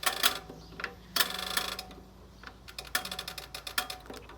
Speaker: So, let's get the machine set today. We're going to go warm, leave it at warm, drain suds, regular action, set the load size to large, push the timer in.